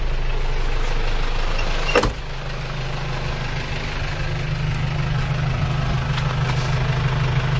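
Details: Isuzu Panther box diesel after engine overhaul with original internals, warm after a 5 km drive with temperature steady below half: low, steady idle heard at the exhaust with an even clatter, no misses or knocks; sounds healthy.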